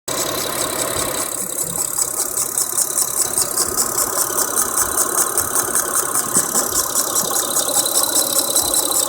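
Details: Mitsubishi Eclipse (4G) idling with a steady high hiss over a fast, fairly even ticking pulse. Sounds like a leak, but the source is unconfirmed: an unidentified hissing engine noise.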